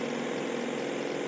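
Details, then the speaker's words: 1998 Mazda 626 idling about 750 RPM, dropping to about 500 RPM with headlights, defrost and AC on: low uneven drone, engine shaking hard under accessory load; rough idle under load, cause not pinned down. "Engine is shaking like crazy now. I'm going to go turn all the accessories off. It was down to maybe 500 RPM with those accessories on."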